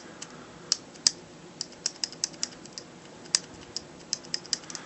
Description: The rattling noise you hear is pretty normal in Glocks it comes from the firing pin. It has been engineered to do that.